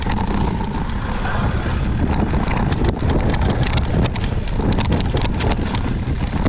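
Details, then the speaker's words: Fox 38 suspension fork, recently returned from Fox service, creaking again after a few weeks over roots and rocks: sharp cracks and creaks popping over tyre rumble on rough trail as the fork compresses. "i'm trying to record the uh the noise that it's making today hopefully uh it's pretty pronounced so you can hear that cracking oh"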